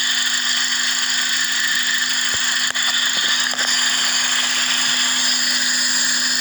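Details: Suzuki Swift with rough idle, occasional misfire, lean condition and no DTCs: constant airy hiss with a faint steady tone while running, air drawn in through an EVAP purge valve stuck open; short-term fuel trim around 20%.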